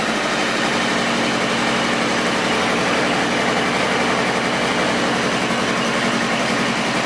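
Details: 2000 Kawasaki ZR-7 750cc four-stroke, recently tuned up with new plugs and wires, carbs cleaned, aftermarket exhaust, started with choke: even, steady idle with quick smooth patter, no misses, knocks or hunting; normal idle, runs well.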